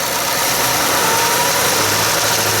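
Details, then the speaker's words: 2017 Ford F-150 5.0L Coyote V8 held at about 2000 rpm with intake runners switched on: busy, dry clacking rattle over the engine noise, traced to the intake manifold runner control, not engine damage; shop had wrongly called for a new engine. "it's steady out you hear the clacking keep the clock and keep it in 2000."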